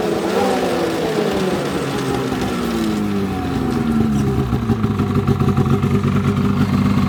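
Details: 2007 Polaris 600 HO LX Cleanfire snowmobile, before tear-down, revved on stand: buzzy two-stroke note rises and falls cleanly with each throttle blip, no misfire, knock or rattle; runs fine.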